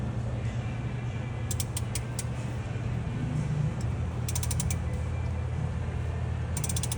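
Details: Dodge Caravan with the A/C on: bursts of quick metallic clicks and creaks every couple of seconds over a low engine hum; owner suspects vibration from the flywheel, unconfirmed.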